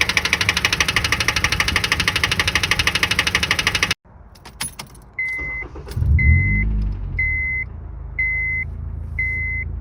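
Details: Car engine running with a loud, rapid, hammering rod knock from a worn rod bearing; the motor was destroyed.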